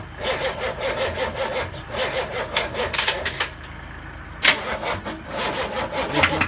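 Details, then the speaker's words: Land Rover Defender V8 conversion, first start attempt with no exhaust and no coolant: the starter cranks in steady rhythmic pulses but the engine never fires. It is not sucking fuel, so fuel starvation; the electric fuel pump is run to prime it. "It's not sucking fuel. Ah, try and run the fuel pump."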